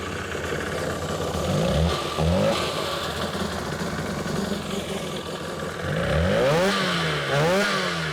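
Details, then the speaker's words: 2003 Sea-Doo GTI RFI two-stroke, rear cylinder spark plug wire disconnected and grounded: rough, uneven revving with lumpy clatter, sounding the same with plug connected or not; running on one cylinder. "And this thing sounds exactly the same whether I got the spark plug disconnected or not."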